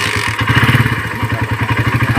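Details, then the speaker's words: Suzuki Satria FU150 with a Keihin PE28 carburetor (pilot jet 38, main possibly about 115), before repair: uneven, lumpy running that stumbles and surges on throttle. The carburetor's air passage is clogged and lets in too little air. "dito ang problema ay butas lang ng hangin, bro , ang butas ng hangin na ito ay barado kaya hindi sapat ang papasok na hangin"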